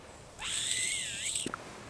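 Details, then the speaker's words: Gas-powered handheld leaf blower, running rough: blowing into the line to the primer bulb with the incoming tank line plugged gives a thin, wavering, intermittent whistle as air escapes inside the carburetor; carb to be opened. "Yeah, so that is just, yeah, so there's a problem inside the carb, right? I'm blowing on the line that's going to the bulb, and I've got air coming out when I plug the incoming line from the tank."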